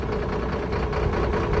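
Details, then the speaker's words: Mercedes truck diesel at idle during a scan-tool cylinder cut-out test, injectors switched off one by one; uneven hunting beat, engine dipping and recovering as a cylinder is cut. Misfire from a faulty unit injector pump on cylinder 4. "What we're going to do is turn them off one by one and you should hear the engine die down if the cylinder is working."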